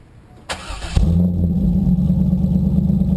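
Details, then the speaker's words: Modified 1998 Corvette V8, automatic, with full ceramic-coated stainless exhaust headers; short crank, then catches and settles into a deep, even burble; healthy, strong, clean exhaust note. "um boy that thing's got a hell of an exhaust note doesn't it and that thing sounds great goes really well too"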